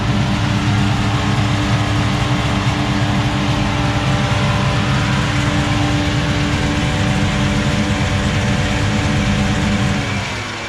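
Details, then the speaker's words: Dodge Charger General Lee after a cross-country trip hauling a 1970 340 Duster: deep, steady V8 rumble with an even beat, no knocks, ticks or misses; engine sounds healthy. "that sounds really healthy chris"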